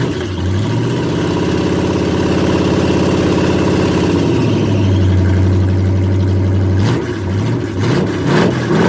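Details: Squarebody V8 with Summit 1103 cam, Edelbrock Performer aluminum heads, Super Victor intake on a 2-in spacer and 600 CFM carb: lumpy, choppy idle with raspy puffing through the revs; exhaust leaks where the header flanges are rotted off at the head.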